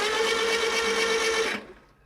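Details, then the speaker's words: Stored air-cooled Porsche engine with stock Bosch starter on jumper cables, no fuel, cranked for the first time in over a year to build oil pressure: steady whirr with a fine whine, no firing; oil pressure light goes off at once. "the light went off immediately, which means there is oil pressure."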